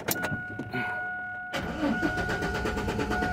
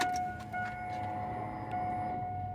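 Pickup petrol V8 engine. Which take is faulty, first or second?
first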